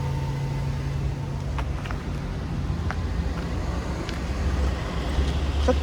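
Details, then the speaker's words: 1997 Toyota Century V12, low kilometres, with muffler, fired right up after sitting 2 days; low soft even hum with faint muffled burble, no knocks or misses; smooth healthy V12 idle. "It hasn't started in 2 days. Fired right up, there's no issues."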